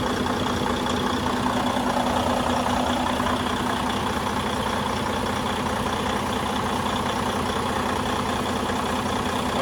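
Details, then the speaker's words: Detroit DD15 diesel after fuel pump replacement (chirping, metal shavings), new filter module, high-pressure flange and lines, fresh diesel: starts right away into steady, even idle, no misses or knocks, fuel pressures good; normal idle. "as you guys can hear start it up right away lppo fuel pressure fuel compensation pressure everything's good rail pressure everything's good"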